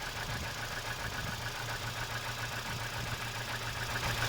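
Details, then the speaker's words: Kia Spectra idling with a small vacuum hose pulled off: faint airy hiss as air is drawn into the open line and no whistle. The throttle-side whistle stops when the hose is removed and returns when it is refitted; cause unknown. "Когда свист начинался, например, вот этот шланчик, если шланг вытащить, свист пропадал. Вот туда он сейчас всасывает воздух."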